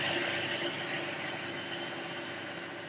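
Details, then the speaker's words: Lathe retrofitted three years earlier with variable-speed motor and inverter, belt on second pulley, running at its measured top speed of 917 rpm (plate rated 850): steady even whir with constant high hum, no knocks, rattles or grinding; runs smoothly. "The top speed on this one is 900 17. And the slowest speed is 40."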